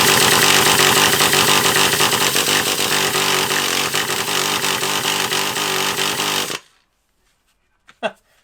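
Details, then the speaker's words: Traxxas Revo 3.3 nitro RC car engine, smelling really weird: high buzzing two-stroke rattle for about six seconds, then abrupt cut-out; won't stay running, fresh nitro fuel planned. "don't you want to go now oh it does run in time run too bad either does it didn't wanna stay running"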